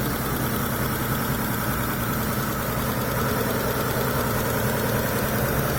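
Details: Mitsubishi Galant V6 test run after new main and connecting-rod bearings were fitted: a steady, even idle with a smooth low rumble and no knocking or ticking. The bottom end sounds healthy.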